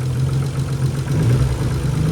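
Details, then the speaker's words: Nissan 300ZX turbo idling with the oil topped up: a faint, even tick over the engine. The owner suspects a lifter but fears it is lower in the engine, and it knocks when revved. "I'm pretty sure I put enough oil in there but still kind of ticking you know these cars do have problems with lifters but I'm not sure I'm not sure if it's a lifter"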